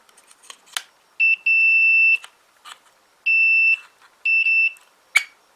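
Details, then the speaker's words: Old Hornby Class 101 three-car DMU model loco that stopped running, tested on rolling road: multimeter continuity beeps as probes touch the wiring, reading about 5 ohms, judged a bit high but a connection present. "I'm again approximately about 5 ohms on there, which in my mind would be a bit too high, but it's a connection."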